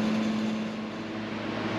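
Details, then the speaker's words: Forced-air garage heater after replacing the heat fan blade (motor kept) to cure a rattle and vibration: quiet, steady low hum with no rattle or ticking, much quieter with a different tone, which the owner attributes to the new blade pitch; smooth and balanced. "so I don't know if you can hear the difference much quieter it has a different tone even I'm thinking that's the the pitch on those blades"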